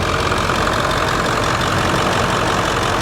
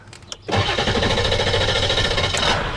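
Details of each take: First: 1999 Ford F350 7.3L PowerStroke turbo diesel, about 200,000 miles, warm idle during blow-by test: steady, even diesel clatter with no misses or knocks; no blow-by, clean oil and trans fluid, no leaks; solid healthy engine. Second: 1999 Ford F350 7.3L PowerStroke turbo diesel, restarted after sitting, A/C on max: short crank then catches and settles into a rough steady clatter; hard start, seems to lose fuel prime after sitting.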